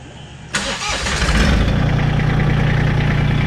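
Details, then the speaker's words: Massey Ferguson GC1723 sub-compact diesel tractor at its 250-hour service, started after an oil change left it a little overfull: starter catches quickly, then a steady, even diesel idle clatter with no knocks or misses. "It's a little over full. So let's fire it up, let it get in the filter."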